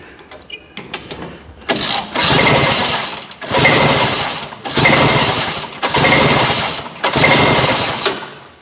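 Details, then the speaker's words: 1971 Ski-Doo Olympic two-stroke snowmobile, compression test on second cylinder: five even, strong rhythmic cranking bursts; 160 psi on each cylinder, good healthy compression. "oh my God 160 each cylinder we scored on this"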